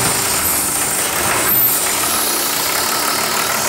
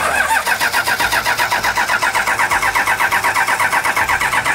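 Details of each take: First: 1984 Toyota LandCruiser HJ47 with a 2H diesel, run for the first time after sitting 19 years, glow plug system bypassed by a previous owner: steady idle with even clatter under a background hiss, no misses or knocks. It is running healthy. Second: 1984 Toyota Land Cruiser HJ47 with 2H diesel, unrun for 19 years, glow plugs powered by hand: steady cranking about four beats a second for six seconds, never catches. Won't fire; air in the injectors suspected, to be bled again.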